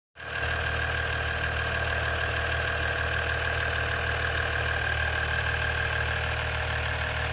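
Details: 2017 EcoDiesel idling smoothly with a light, fairly quick ticking, about three per second, riding on top; cause of the clicking undetermined.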